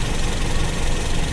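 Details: Toyota Kijang carbureted engine, idle mixture screw turned in until rpm nearly dies: uneven stumbling idle with rough low-pitched shaking and dips, running lean.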